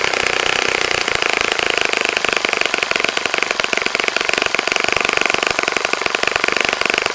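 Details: Saito FA-65 model four-stroke on its first run after rebuild, APC 12x6 prop, Morgan's Omega 10% fuel, Fox Miracle plug, heavily primed to start; high-rev buzz with crisp even beat, no sag or misfire, clean steady full-throttle note; normal running.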